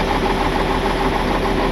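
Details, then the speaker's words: Warm Cummins diesel tow truck idling with bad knock, missing on one cylinder and blue smoke: uneven flutter with a light knocking pulse under the clatter; bad injector suspected, not confirmed, headed to dealer for diagnosis. "You hear that kind of flutter?"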